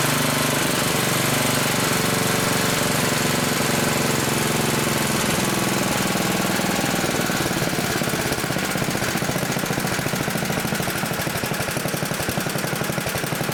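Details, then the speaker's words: Old 1960s Briggs and Stratton single-cylinder, about 10 hp, Hale fire pump unit, on choke, freshly tuned, fresh oil, some old gas left: catches almost first pull, settles into steady even popping, no misses or knocks; runs healthy, slightly smoky. "Still has some old gas in it, but fires right up almost on the first turn."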